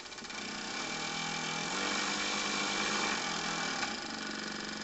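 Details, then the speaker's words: 1 cm³ Stephenson-link twin-cylinder steam engine for an RC live-steam boat, run on about 500 g of compressed air after more than 20 years on a shelf. Quick, even chuffing at about four beats a second with a faint sheet-metal rattle and no knock; running normally. "Alors elle ne cogne pas parce que le bruit, bon bah c'est normal qu'il y ait un petit peu de bruit, c'est la vibration de la tôle, mais a priori j'entends pas de cognement."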